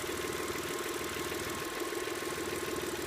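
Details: Engine with lifter tick after adding STP oil treatment (high-mileage formula recommended): even idle with only a faint light tapping under the exhaust hum; lifters now running quiet.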